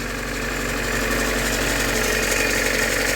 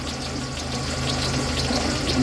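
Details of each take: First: VAZ 2112 after replacing crankshaft pulley and spark plugs, idling: even idle with light regular ticking about three per second and no belt noise; just hydraulic lifters, crank pulley runs true, healthy. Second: VAZ 2112 warmed up at idle with unstable running: dry whirring hiss over the engine and slightly uneven beat; noisy timing belt idler pulley bearing needing replacement, crankshaft pulley also wobbling.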